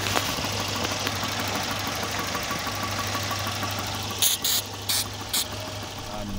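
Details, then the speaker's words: Volvo 240 B230F redblock engine pulling away under load: faint metallic pinging rattle over a steady drone, spark knock from over-advanced ignition timing; seized distributor later replaced. "those that don't know it's basically pre-ignition the spark is happening too soon the ignition time and it's too advanced"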